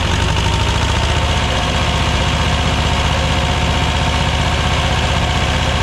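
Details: 1985 Belarus 250AS diesel tractor, revived after sitting 8–10 years: steady deep clatter at even idle, roughly three beats a second, no misses or stumbles; normal running.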